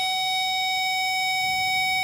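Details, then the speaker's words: A power probe touching an exposed spot on a wire, where the shielding had melted from the catalytic converter, gives a steady high-pitched beep. The wire is shorted to ground. "If there are exposed wires, we should hear the power probe beeping because of it making contact with ground."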